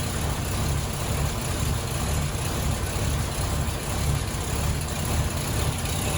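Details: 1934 LaSalle sedan with 99,662 miles, cold start after the electric fuel pump primes and the carburetor unloads with pedal taps: an even, steady low rumble with a quick, slightly uneven pulse as the fast idle begins to settle. Healthy.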